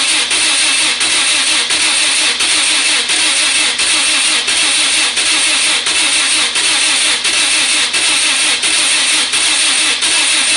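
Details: Lotus cranking: the starter grinds steadily with even compression dips of about 87 a minute, but the engine never catches. Crank, no start; cause suspected, not confirmed.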